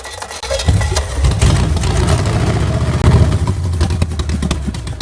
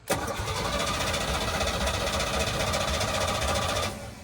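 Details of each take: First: Engine bought with a reported knock and said not to run, now running on the stand; steady, even note with no tapping or knock, sounding like a good motor. Normal running engine. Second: Small block Chevy, unhooked from the truck, cranked by the starter: it spins unusually fast and evenly for about four seconds with little labouring. Owner suspects low or no compression; not confirmed. It ran and smoked from the manifolds.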